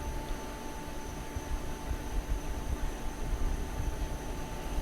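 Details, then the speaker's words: Ceiling fan after replacing the bad CBB61 capacitor (fan had only run one slow speed), pull switch at position 3: soft, steady whoosh with faint constant hum, no buzzing; fan turns smoothly at full speed, repair fixed it. "So that should be 3, should go full speed now, just like that"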